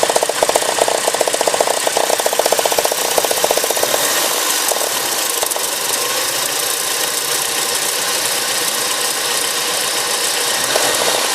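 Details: Porsche 944 2.5 naturally aspirated petrol four-cylinder at idle: a sharp, rapid knocking of about four beats a second over the engine. Engine knock.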